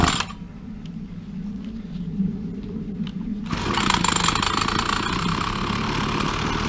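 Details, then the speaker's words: Petrol string trimmer after carburetor cleaning and a repair for a suspected spark problem. A small two-stroke buzzes at low idle, then settles into a louder, steadier note as it warms up. Normal warm-up running. "No problem, just want it warming up."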